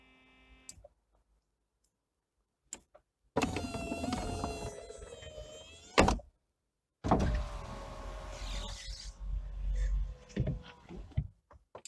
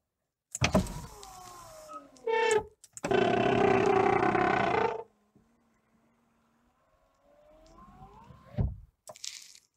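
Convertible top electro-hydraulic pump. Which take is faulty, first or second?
second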